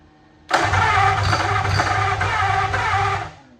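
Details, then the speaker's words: 1927 Roadster flathead V8 cranking about three seconds with ignition jumped to battery: uneven pops that never catch; a plug-wire or firing-order error is suspected and will be verified. "So this is what it's doing. It's popping like that."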